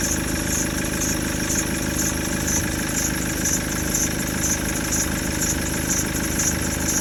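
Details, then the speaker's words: Maxus V90 diesel van at idle after an oil leak: even clatter with no knocks or misses; the earlier noise was only oil on the belt, oil pressure fine, leak later traced to the oil cooler; engine running normally. "yeah that's all that noise was was the belt had a bit oil on it other than that she's running beautiful really"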